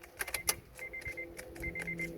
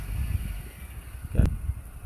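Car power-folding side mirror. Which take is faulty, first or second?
first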